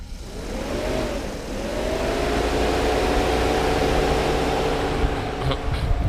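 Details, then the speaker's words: Mercedes SL500 R129 with low-speed relay and a slightly melted 15 A fuse fitted: a smooth whir rises to a steady low hum with no rubbing or ticking; the radiator fan runs fine on low speed, relay contacts unburnt, fuse to be replaced. "now this is low speed fan. That was the question. What's going on with low speed?"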